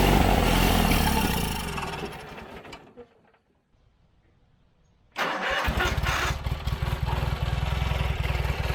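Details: John Deere 317 riding lawnmower: the engine runs briefly, fades out and stops for about two seconds, then fires again with an uneven beat. Fuel starvation from a plugged carburetor; the fuel lines and tank were ruled out.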